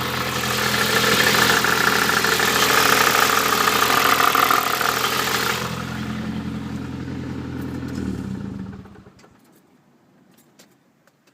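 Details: Nissan Pulsar GTi-R engine at idle: steady ticking about three per second from the cylinder head over a rough idle until shutoff; abnormal top-end noise, cause unknown.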